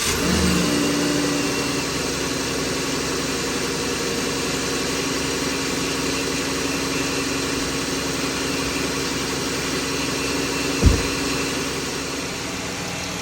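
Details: 3.6L Dodge Journey after valve cover gasket replacement for oil leak, warming up: smooth steady idle with even beat, no ticking or knocking, one small clunk near end; old oil burning off, no new leaks; normal idle.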